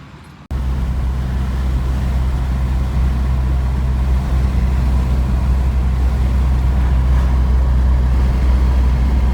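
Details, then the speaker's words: 1986 Porsche 944 Turbo on its first test drive after tie rod end, alignment and oil change: steady smooth low drone under road noise, no knocks, misses or whine; good oil pressure, odometer working. "you can see we have good oil pressure and the odometer is working all right guys this car is now running beautifully"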